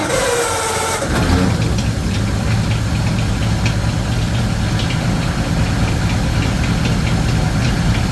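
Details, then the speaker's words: 1936 Ford 1½-ton truck with an 8BA flathead V8 that sat in a barn for years and once had stuck valves, run on a fresh battery and fuel with Berryman; fires up to a steady, even idle with no miss or knock, while the carburetor leaks: normal running. "wow Run's good and that carburetor is leaking over"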